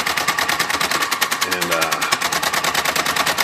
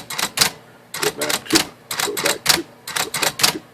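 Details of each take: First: Smith Corona 2200 electric typewriter, on power-up: power backspace runs away nonstop, rapid clatter about ten clacks a second that never stops, caused by broken power backspace clutch spring. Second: Smith Corona 2200 electric typewriter after replacing broken power backspace clutch spring: crisp, irregular keystrike clacks about one a second, clean carriage snap, no dragging or slipping; typing and backspace working properly.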